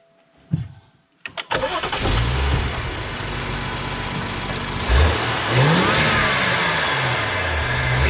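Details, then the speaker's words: 2014 BMW X5 335xi (N55 turbo), fully warm, after a cheap cold air intake and exhaust mod; clean start, quick settle, then smooth blips with a faint rising turbo whistle that is now clearly audible. Normal start and rev. "Well, you can definitely hear the turbo spool. It's a lot better, but I'll see what I can do."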